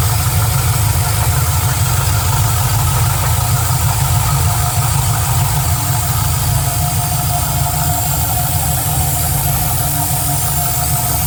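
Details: Engine at idle: a steady loud rumble with a loose, uneven tapping about three times a second running through it; engine knocking, cause unclear.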